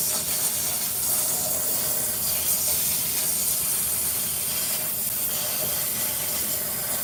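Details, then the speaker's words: Tire found broken and leaking: steady airy hiss with no rhythm and no machine noise, like air escaping; needs fixing. "Y'all hear that hissing sound? You gotta fix that."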